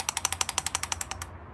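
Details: Bosch actuator unit from BMW E36 M3, previously sticky with heavy carbon buildup, after degreasing; crisp even clicking about ten per second for just over a second then stops; actuator now cycles freely.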